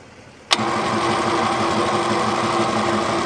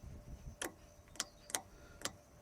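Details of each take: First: Chemical transfer pump kicks on and settles into a steady even hum with no knocks, rattles or surging; running normally with good suction. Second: Second old chemical transfer pump, parked about 4 years, wired to the owner's battery: four sharp dry clicks about half a second apart, motor never spins; battery found at only 6.3 volts, suspected cause of not running.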